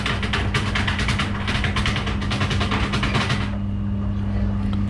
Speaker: it looks like something caught up in the impeller of the pump it's two dollars